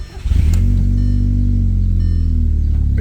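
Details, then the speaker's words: Mk1 Audi TT Quattro 1.8T after installing a DeatschWerks DW65V fuel pump, primed on key-on, then started: cranks briefly, catches cleanly and settles into a smooth, steady low idle with no misses or knocks, sounding good, a healthy engine. "we go. I think we're good, y'all. Sounds real good."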